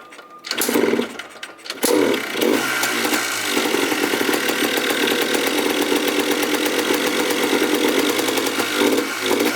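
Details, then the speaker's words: 2004 Yamaha Blaster 200cc two-stroke ATV, hotwired, with a dirty air filter, before any repair. A raspy buzz that surges and sags and never settles: rough running, will not idle. "now no idle this thing sounds terrible right now holy smokes that sounds absolutely garbage well the Blaster absolutely sounds terrible right now but it looks even worse"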